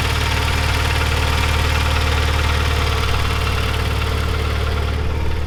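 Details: Neglected Mitsubishi Evo 9 at idle, with hydraulic lifters reportedly already replaced and timing belt tensioner previously blamed: sharp regular tick three to four per second over a deep hum; lifters suspected, cause unconfirmed.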